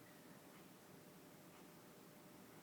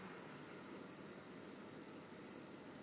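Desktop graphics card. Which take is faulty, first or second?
second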